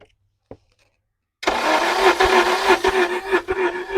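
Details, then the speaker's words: Free K24A1 engine from wrecked CRV, cranked by starter: fast, even spin with weak, light pulses and no clunks, turns freely; low compression. "After we determined that the motor had low compression, but it still turned freely and had no clunks or any weird noises, we decided to pull the valve cover."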